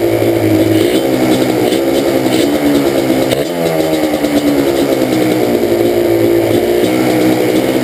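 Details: Banshee two-stroke: uneven, stumbling idle with revving blips, terrible misfire on the left cylinder, pipe not even warm at idle; carbs rebuilt and balanced, air screws adjusted, problem does not follow the plug, cause unknown.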